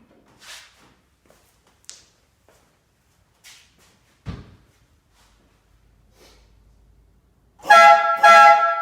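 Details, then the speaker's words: Replica Countach kit car on 1986 Fiero GT chassis, air horn with 3000-series trumpets swapped in for 6000-series: two short loud bright blasts, slightly higher pitch than the 6000s for a vintage Italian tone; horn working as it should. "I'm sure you notice the difference in the pitch to 3000 series is a little bit higher pitch which gives more than that vintage Italian the sound"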